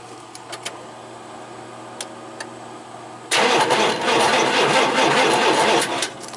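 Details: 1988 Chevy truck 5.0 V8, 104,000 miles, died on the road: about two and a half seconds of steady cranking that never fires while the pickup coil is scoped; pickup coil signal good, so the ignition module is blamed.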